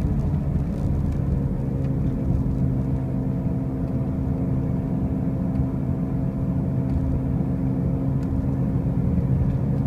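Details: 2005 Pontiac Grand Prix with brand new wheel bearings and new tires: a steady low droning hum holds throughout at constant speed; a loud running-gear drone, cause unknown.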